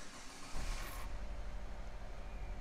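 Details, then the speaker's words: 2008 Saab 9-3 2.0 turbo, P0301, cold early-morning idle, coil already swapped: low uneven stumble in the exhaust beat; steady misfire on cylinder 1, some on cylinder 4; misfire at idle. "we got a steady misfire and as you can see it's cylinder number one we got some and cylinder number four but it's definitely number one"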